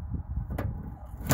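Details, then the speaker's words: 2015 Fiat 500 hatch latch not releasing; with carpeted lining removed, plugging the connector into the switch makes two short sharp clicks as the lock pops; owner suspects a short in the wiring. "this plug connects to the switch as I you can hear the lock popping there that's all I had to do"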